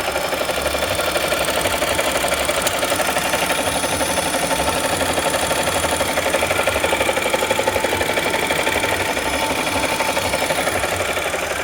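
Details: 2014 Audi S4 3.0T, 106k miles, modified (crank pulley, overdrive supercharger pulley, heat exchanger, intake, tunes), failed suddenly while driving: idling with steady regular knock under busy mechanical clatter; suspected rod knock, not confirmed.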